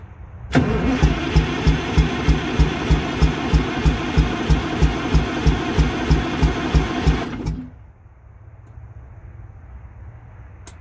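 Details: MCI MC8 diesel bus, sat about two years, first day above freezing, cranked from front controls, batteries suspected weak; smoking so fuel present: steady starter churning about three turns a second for seven seconds, never catches; long crank, no start.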